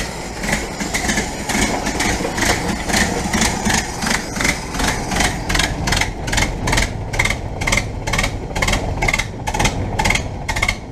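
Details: 1967 Land Rover Series 2a 109 after cylinder head rebuild and refit, carburetor and distributor untouched, running a few starts later: even steady hum with sharp regular clicks around two a second; normal running.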